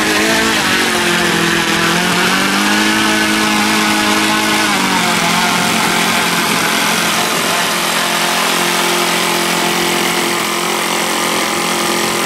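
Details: OS Max FS120 four-stroke model engine, which earlier had no compression from a blocked exhaust valve, running with its propeller. A crisp, even bark rises cleanly with a throttle blip, then settles into a steady, healthy run.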